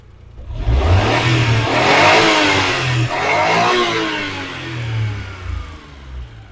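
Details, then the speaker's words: Daewoo Damas freshly converted to fuel injection with new ECU: clean rise and fall through several revs, smooth pickup and even return to idle, no knocks or misses; engine runs healthy after the conversion. "Xudo xolisa juda chiroyli holatda ishlab turibdi."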